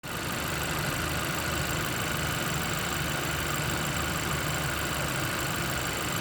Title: Fk8 engine whining noise at idle